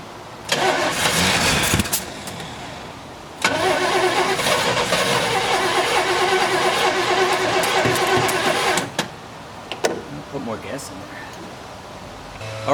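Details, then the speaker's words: 1972 Chevelle Malibu, original small block, sitting 15 years; fuel poured into the carburetor. Brief cranking, then it runs roughly about five seconds and dies; owner suspects fuel starvation and timing, and plans a fresh fuel line to the pump. "so that's awesome she's going to run I'm pretty sure it's just a fuel uh starvation issue at this point"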